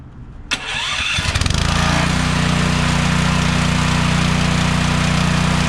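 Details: DeWalt 3400 psi pressure washer engine that kept shutting off after about 5 seconds, now with flow sensor bypassed: pulls, fires and settles into steady even idle without surging or cutting out; runs normally.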